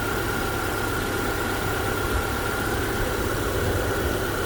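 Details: 2010–2014 Subaru Outback idling right after alternator replacement, started on jumper cables; steady, even idle with a smooth low drone, no knocks, misses or surges; alternator charging about 14.2 V; normal idle.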